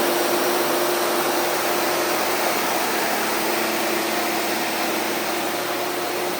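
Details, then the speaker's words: Jeep with freshly built 4.6 stroker (new aftermarket pistons, cam, bearings after cracked piston), first start during break-in: loud steady roar, even hum, no knocks or ticks; gauges good, oil pressure stable, running normally. "Just got the Jeep started. Now we're going to do the break-in process and uh keep an eye on everything else outside."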